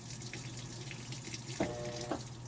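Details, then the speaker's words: Maytag Bravos high-efficiency top-load washer on Normal wash with two towels, after the worn basket driven hub was repaired: a steady hiss of water filling the tub over a low motor hum, with a couple of soft clunks. Normal water fill. "normal wash i just got two towels on there so we'll just uh let it fill up and you'll see everything's fine"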